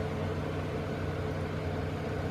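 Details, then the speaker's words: Newly installed Vortex II vent fan in an Open Range RV running on high, metered at about 70–80 dB after slight rubbing was noticed at first: steady, even rushing air with a constant low hum and no ticking or wobble, so the fan runs normally. "all right so let's high and it's actually showing down here it's actually showing 70 80 DB"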